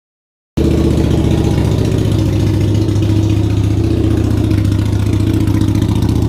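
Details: Harley V-Rod Night Rod, freshly rebuilt engine bored 1130cc to 1250cc with FM Hellraiser cams, Power Vision tune, first start after reinstallation: loud, deep, lumpy V-twin idle, steady choppy thump, no knocks or rattles, louder than old Rinehart exhaust; normal idle.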